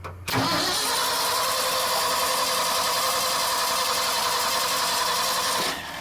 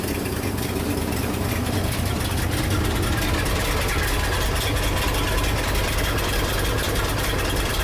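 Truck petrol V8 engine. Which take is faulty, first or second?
first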